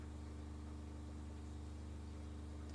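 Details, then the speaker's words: Newly installed water pump rated 55 PSI, pressure tank set to 52 PSI: steady low hum with fast even pulsing, three or four beats a second, no rattle; considerably quieter than the previous Shurflo pump, running normally. "so that is considerably quieter than the uh the previous Shore flow"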